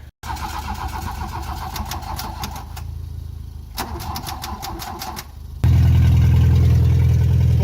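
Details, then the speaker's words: Mark 1 VW Golf with mechanical fuel injection, old gas and blown head gasket: starter churns steadily about three and a half turns a second for several seconds before the engine catches and roars; two blown fuses found. Long cranking before start. "but we just needed to crank it a whole bunch and it eventually started"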